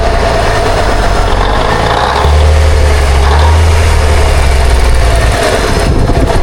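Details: 1962 Kenworth with Cummins Big Cam diesel, sitting 18 years, fed from a jug bypassing the filter: catches after cranking and settles into a deep, even rumble with no knocks; fires right up with oil pressure.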